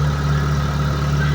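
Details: Mitsubishi Lancer, formerly crank-no-start, after a new ignition coil and ignition module and a battery swap: steady, even idle hum with a low drone and no misses or knocks; now running smoothly.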